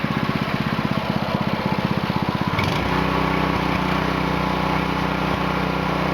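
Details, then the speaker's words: Clone of a Honda GX200 (Princess Auto) on a new Split-Fire 2265 wood splitter, being broken in after two 20-minute runs, restarted after sitting a few minutes: choke off, fuel on, steady putter at idle, then smooth steady drone when throttled up; normal running. "So we're on idle, choke's off, gas is on, throttle's on. Throttle it up."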